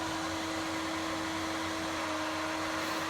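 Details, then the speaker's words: Xbox One S console fan running loud and nearly non-stop, increasingly frequent over about two months: constant loud vacuum-like rushing whoosh with a steady mid-pitched tone; owner doubts Microsoft's claim that it is normal cooling. "Sounds like a fucking vacuum."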